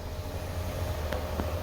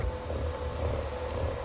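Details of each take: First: 2020 Ford Edge sunroof shade after replacing the grinding, rattling shade motor and running initialization: low steady hum with a faint even whir as it retracts, no grinding; only the slight normal noise all have. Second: 2020 Ford Edge: steady motor hum with a low rhythmic rattle about twice a second as the sunroof shade retracts; diagnosed as a faulty sunroof shade motor, not the shade itself, which had already been replaced.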